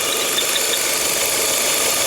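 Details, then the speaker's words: Idling petrol engine with faint repeating high chirp over hiss, caused by torn PCV valve diaphragm; chirp stops when dipstick is pulled (air drawn through dipstick tube), returns when reinserted; irregular mixture and sensor mixture error. "Parou o barulhinho do motor. Ela parou o grilinho, ó. Tá tá puxando ar o bloco da vareta, né?"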